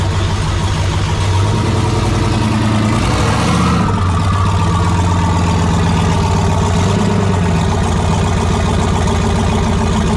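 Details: AWD turbo V8 race truck after new fuel injectors, warming up: deep, even rumble with one brief throttle blip that clears cleanly and settles back; running better than ever, nearly ready for tuner/dyno.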